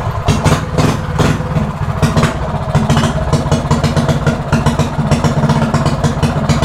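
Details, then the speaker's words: Stock single-cylinder mini bike with quarter-turn race throttle, after carburetor idle screw reset; small single thumps along at a steady settled idle, no stumbling, much better than before; normal idle. "you can hear when the idle is perfect foreign a lot better a lot better"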